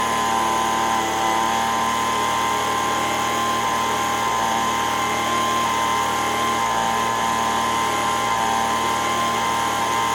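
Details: Echo ES-210 two-stroke leaf blower, about 20 years old, after repair of surging RPM: steady high-pitched scream at full throttle with no surging or hunting. Tachometer shows 7,100 RPM (recommended 7,000–9,000). Healthy, normal full-throttle run.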